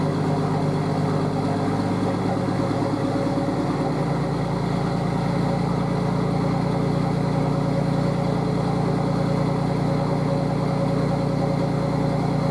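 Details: Nissan RD28 diesel, GQ Patrol, after injection pump swap and 11mm upgrade with timing advanced a bit; catches and settles into steady even idle with light clatter, no irregular knock; owner's knock worry unfounded, healthy.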